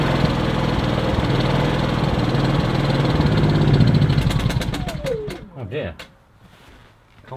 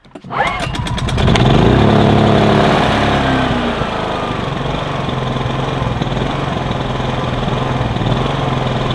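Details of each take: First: Kipor IG2600 digital generator that sat unused for years, restarted on choke when cold: runs steadily, then falters, surges briefly and stops within seconds. Ran out of petrol; fuel starvation. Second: Kipor IG2600 digital generator (just over 2 kW) that sat dusty in a garage for years: pull-start rattle, quick catch and rev, then settles into a smooth steady drone without hunting; no leaks seen, runs healthy.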